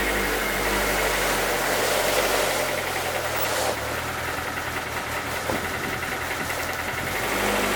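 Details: 2007 Lotus Exige track car, about 80,000 miles, engine idling after spinning its rod bearings on track: steady knock about four per second under the running noise, bottom-end rod knock; engine considered finished.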